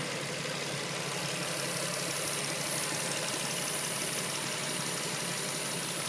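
Steady idle with an even, airy hiss riding over the engine note and no knocks; could be a vacuum leak, but unconfirmed.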